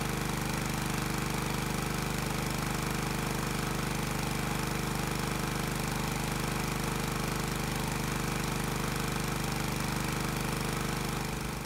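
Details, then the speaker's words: Small engine on a dyno under resistor load, governed at 3000 rpm and fully hot after 20 minutes, 28° advance: steady, unwavering drone at one fixed speed with no hunting or misfires. Normal governed running under load. "now that we have the engine loaded i need to adjust the rpm to exactly 3000 it's a bit touchy but once adjusted the governor will hold the engine at the desired speed"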